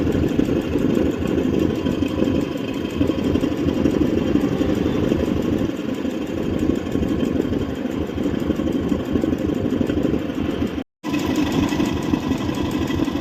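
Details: Royal Enfield UC single-cylinder idling with a busy, uneven mechanical clatter over the thump, louder than it should be; abnormal engine noise, source not identified.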